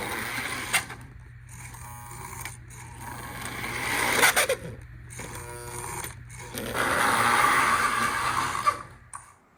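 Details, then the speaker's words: Lionel model train armature motor hums in uneven bursts with a thin shrill squeal; dry armature shaft needing a little oil in the reservoir and a dot on the shaft; motor squeal from dry bearings. "If you're getting a squealing noise from your engine, most likely the armature motor needs to be oiled. See if this sounds familiar."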